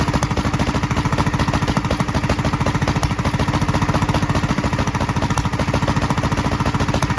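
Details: 1943 Gravely Model L single-cylinder on rebuilt magneto and borrowed 1955 L carburetor with its settings; uneven thud about 3.5 beats/s, popping from carburetor and exhaust; valve lapping and lash check planned. Rough running with popping.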